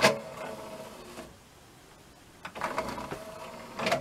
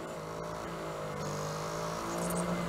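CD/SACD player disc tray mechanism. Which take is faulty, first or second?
first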